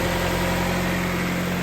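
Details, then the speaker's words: 1997-2001 Honda CR-V B20 engine idling after valve cover gasket and spark plug replacement, terminals and grounds cleaned; steady, even idle hum with no misses or ticking, sounds really great. Normal idle. "But job well done. Looking really clean. Sound really great."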